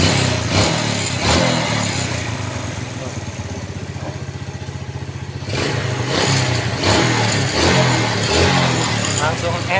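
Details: Yamaha Vega ZR with weak ignition, after the gap was set to 0.25 without new parts: fires up and settles into a steady, even idle with a clean exhaust beat, revs picking up crisply.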